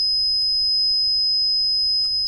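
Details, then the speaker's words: Meta SR2C reverse parking sensor kit on a 12 V supply, sensitivity turned down with the trimmer: one unbroken shrill tone, quieter after adjustment; continuous beeping, likely because the sensor is used indoors in a confined space. "Still pretty angry. Oh, that's better. Much quieter though. Yeah. Still a bit beep."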